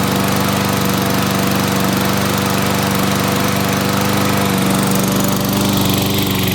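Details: Toro mower with 6.5 hp Tecumseh engine after carburetor cleaning, failed to start after winter storage, on customer's fuel: small single-cylinder holds steady, even beat with no surging; now running smoothly.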